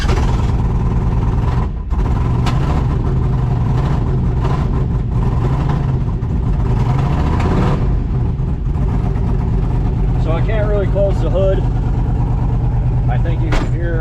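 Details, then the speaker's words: Chevrolet C10 in cold winter weather, batteries running dead: deep rumble with lumpy uneven beat and occasional stumbles at idle; owner thinks it's not hitting on all cylinders, cause unconfirmed. "that uh definitely seems as if it's not hitting on all cylinders not a lot of room to spare here"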